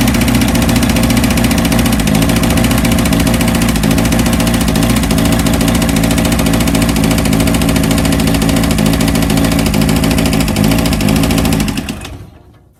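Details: 1982 VW Vanagon Westfalia diesel on a chilly day, after a new battery, glow plugs and starter: steady, even diesel clatter with a smooth regular beat and no misses or knocks before shutdown; normal idle.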